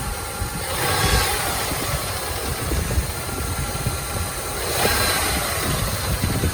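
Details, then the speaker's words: 3rd-gen Toyota 4Runner engine: steady idle with light, irregular random tick each time revs drop; quieter at pan than top, so owner doubts but fears rod knock; constant once warm and idle lowers, heard 1,000–2,000 rpm driving; cause unconfirmed. "But you hear it every time it comes down off of RPM, it kind of makes like this random tick."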